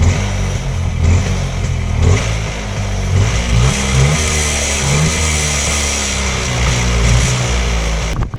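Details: Rajdoot 175 two-stroke motorcycle, cold start after sitting idle for long: crackling note rising and falling with short throttle blips, firing steadily without dropouts; runs fine, normal running.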